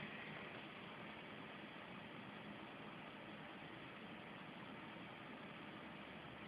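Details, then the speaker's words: PC with a 7900 GS graphics card and 3 GB memory powers on: a quiet, steady fan whoosh with no POST beep codes and no boot; the fault is intermittent and random, and a power supply swap is being tried. "no beep codes whatsoever"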